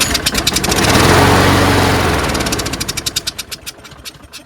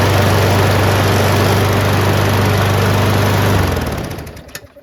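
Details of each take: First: Craftsman 22-inch self-propelled mower with a Briggs Quantum 6.75: fires strongly for a couple of seconds on starting spray, then pops and dies. It won't restart without spray, and a dirty carburetor is suspected. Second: Craftsman 22" self-propelled mower with Briggs & Stratton Quantum 6.75 engine after a carburetor clean, blade adapter change and draining overfilled oil: steady even single-cylinder beat, no surging or shake, then shuts off cleanly.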